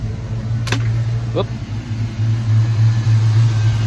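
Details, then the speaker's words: 1986 Mustang SSP just after new spark plugs and wires: steady even low hum at idle with no stumble, running much better than before; owner thinks it still runs rich. "seems to be running fine no sparks that's a good thing we don't want any fires uh yeah well I mean everything seems to be running a lot better than it did"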